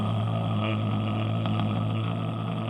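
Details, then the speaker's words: Toyota hybrid e-CVT: engine holds one steady low drone that doesn't climb in pitch as the car accelerates, sounding like a slipping clutch; normal constant-rpm behaviour since engine speed is decoupled from vehicle speed. "first time I heard this, I was thinking, hey, the non-existent clutch must be slipping or something. It sounds wrong."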